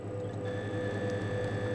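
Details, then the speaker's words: Valve amplifier after output valve replacement, signal generator feeding it, scope on an output valve cathode, 1K grid stopper fitted: a thin steady high whistle over a pulsing low hum that ignores the signal. Parasitic oscillation in the output stage. "as you can see we've got really high parasitic oscillation and I can stop that"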